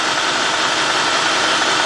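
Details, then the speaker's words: 2003 Cadillac DeVille 4.6 V8, warmed up, surging idle, codes P0300 P0171 P0174 P0101 P0404: loud steady airy hiss over a rough, uneven idle that worsens and grows louder in gear; vacuum leak pulling in unmetered air. "That got a little worse. And I can actually hear air more."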